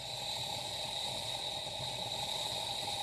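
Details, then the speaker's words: Power Pressure Cooker XL, 10-quart, cooking a doubled enchilada pasta recipe with the valve closed, spinning before a 6-minute cook: steady, even high hiss just before it seals and comes up to pressure. Normal. "you hear that, that means it's about to go under pressure."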